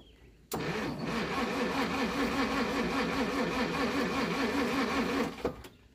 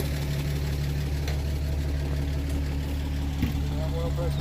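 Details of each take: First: 1937 Pontiac Silver Streak barn find, long sitting, after the points were cleaned, with choke: the starter cranks rhythmically at about 2.5 turns a second for five seconds but never catches. Weak spark. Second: 1937 Pontiac Silver Streak barn find, long sitting, just revived after the ignition points were filed: steady, even idle with a smooth low hum and no knocks or misses. Oil pressure good. Normal idle.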